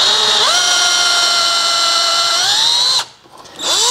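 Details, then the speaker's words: Time-sert thread repair, counterbore tool cutting the flange seat in drilled hole: drill whine steps up and stays smooth once the self-limiting cutter reaches its stop and free-runs; counterbore at depth. "so what it's doing is it's actually cutting down to that step there and once it hits this step it stops spinning or stops cutting and you can hear it just doing a freerunning"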